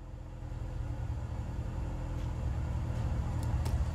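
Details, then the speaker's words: Cold start with a home-welded straight test pipe in place of a broken electric exhaust cutout: a loud, raspy, unmuffled drone that swells as it's revved; the owner says it still sounds like crap. "still sounds like crap but I don't have that stupid electric cutout"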